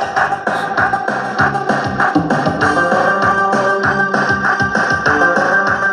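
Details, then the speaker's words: Matsunaga two-channel stereo amplifier after repair of a channel with hoarse, raspy sound. Music now plays full and steady with a clear beat and no crackle, buzz or rasp; both channels have normal output. "aduh hai teman-teman oke suaranya sudah bagus ya ini kita coba ke sel sebelahnya"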